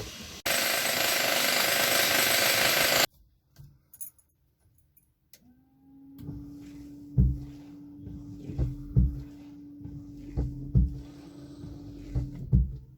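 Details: Car windscreen wipers after refitting Hella blade rubber elements into their metal supports: steady motor hum with even, regular sweeps and soft thumps at each reversal, no chatter or squeal; normal wiper operation.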